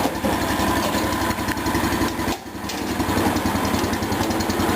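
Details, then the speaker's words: 1977 garden tractor (210) after replacing variator pulley and readjusting variator; deck back on, foot off clutch pedal; steady fast even small-engine putter with only a slight transmission whine, much quieter than before; normal running. "this is what it sounds like with my foot off a clutch pedal you can't even hear it I can only hear a slight whine of the transmission"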